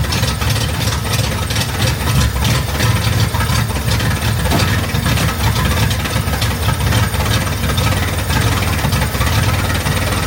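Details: Chevrolet Corvair after replacing ignition system and carbs during tune-up, first start checking for fuel leaks: engine catches and settles into a steady, even low idle with smooth rumble, no knocks or misses.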